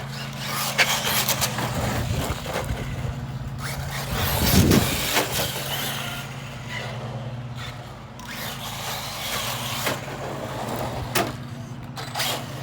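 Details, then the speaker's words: Kraton 4S RC car after a clutch rebuild kit with the missing spring fitted, fresh battery: electric motor whine rises and falls with throttle bursts, no grinding or slipping chatter; drivetrain running normally. "Alright guys, well, the Kraton lives again. She seems to be running good, sounding good, and there goes my battery charger again."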